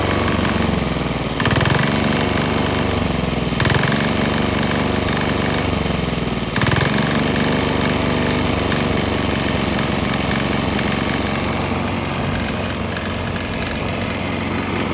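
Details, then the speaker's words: Swan X 165F Chinese single-cylinder diesel on a used motor oil and diesel mix; steady, even thump holding speed, no misses or knocks. Earlier bucking and stumbling seemed to clear after it transitioned to the mix. "There was kind of bucking and stumbling, but I think it cleared up after it transitioned to the straight diesel motor oil mixture."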